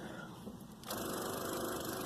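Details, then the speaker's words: Car with no-start, key turned with foot on brake: after a quiet moment a fast, steady chatter of clicks with no cranking while dash lights go out; indicates a dead battery, not the starter. "So, first off, we're hearing a lot of clicking. Foot's on the brake pedal."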